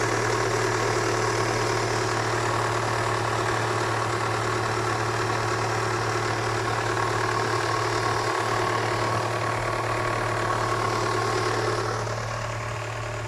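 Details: Kia Spectra 1.6, cold engine idling: steady low drone with a faint tapping about three times a second riding over it, a cold-start engine knock.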